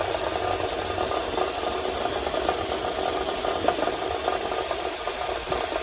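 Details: Honda Civic engine at idle: light, rapid ticking knocks repeat steadily over a rattly background; engine knock of unclear source.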